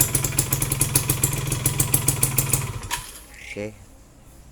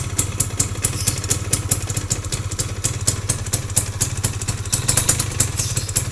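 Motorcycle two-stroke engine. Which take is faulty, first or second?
second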